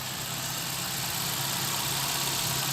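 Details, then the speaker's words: VW Gol G4 EA111 engine idling after repair of a broken, dislodged rocker arm; the earlier loud valvetrain tapping is gone, leaving a steady, even idle hum with no ticking: normal idle. "o barulho aqui no gol já não existe mais bacana aquela barulheira Que Vocês ouviram aí quando eu tava mentindo pressão de óleo já não tem mais"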